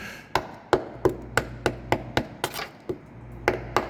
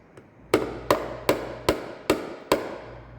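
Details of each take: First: Diesel FJ Cruiser on hoist, tap test on body metal near a growing rust hole, not the frame: quick taps sound dull and dead instead of ringing, showing rust-weakened panel. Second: Diesel FJ Cruiser up on a hoist; six crisp, ringing taps on the body near a rust hole, the bright sound of solid, unrusted metal, in contrast to dull rusted metal.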